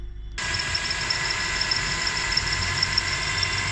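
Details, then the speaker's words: 2003–2007 Honda Accord 2.4L petrol engine idling a few minutes after start: steady thin high-pitched squeal from a worn, loose serpentine belt; the noise disappears when water is poured on the belt. "It's the kind of high pitch sound. I'm going to go to the engine so that you hear it clearly, and also show you the step that you could use to clearly confirm whether it's coming from the drive belt or not."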